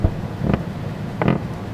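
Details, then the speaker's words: Floor squeak: two short creaks as weight shifts where OSB/plywood subfloor has separated from a 2x10 joist (or I-joist/truss); causes include nails missing the framing, subfloor adhesive drying before the panel was laid, or the floor system flexing. "now here's the sound that we hear when we have a failure between the actual framing member and the sub"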